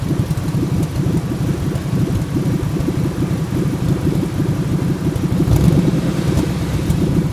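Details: 1997 Ford F150 4.6L Romeo V8: uneven, lumpy idle with irregular stumbles and a wavering beat. It sputters at stop signs without stalling and once would not start, cutting out near 300 rpm. Owner hopes it's not the cats; cause unknown.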